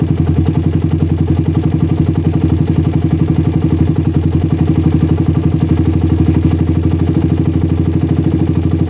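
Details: Motorcycle with PWK carburetor that ran rich at low RPM, after the fix and air-screw rebalance: even idle pulses at an unchanging low speed unaffected even when the slide is pressed for a long time, no hunting or stumbling; normal idle.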